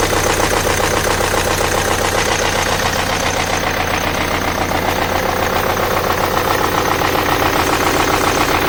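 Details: BMW N47 diesel at a rough idle with hard, steady knocking about four times a second; the engine was destroyed internally by oil starvation from very poor oil servicing.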